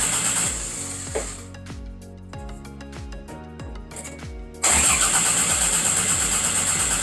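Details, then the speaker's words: 1992 Toyota MR2 after engine swap, first crank attempt: starter spins engine at even pace with steady compression pulses but never catches. "It cranks over, guys. Literally cranks over. It sounds like it wants to start. There's something going on in this engine bay that I either I'm missing or what, but it completely cranks."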